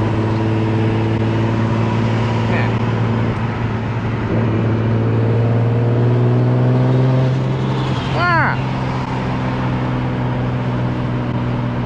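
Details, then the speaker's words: Tuned turbo Nissan Z on a street pull: strong steady pull, then on shifts revs drop slowly instead of snapping down, hanging between gears; owner suspects throttle body, relearn didn't help; also boost drop issue. "you can hear when i shift the throttle bodies are like keeping the rpms up"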